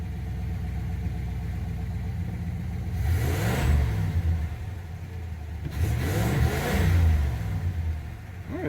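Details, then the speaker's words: 1982 Chevrolet Impala V8 started after sitting 5 years, alternator belt squealing at first: deep, even burble with two clean throttle blips that rise and fall smoothly, no misses or knocks; normal revving. "old girl sounds good"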